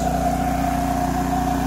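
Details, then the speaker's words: 2006 Kipor KGE3000TI inverter generator after carburetor cleanout, no-start fixed, charging about 13 V. Low idle with smart throttle engaged: steady, even low hum with no misses, knocks or surging; normal idle. "here's the low idle with the smart throttle engaged so that's about as low as it can go"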